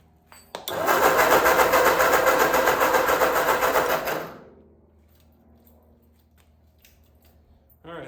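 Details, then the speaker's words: 1946 Ford 2N tractor, rebuilt with new piston rings, cranking after reassembly: even starter cranking at about 220 beats a minute for three seconds, never fires; spark tester shows no spark though the coil has power. "After all that, we don't have spark. All right, we got power to the coil, so that's good."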